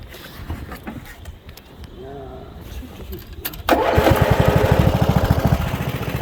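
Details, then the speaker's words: Bolens rear-engine riding mower, 5-speed transaxle, new carburetor and fuel filter, oil changed last fall, old battery: starts without choke at once, even steady putter, no stumbling or misfire; healthy start. "That was without choke, so pretty solid little rig."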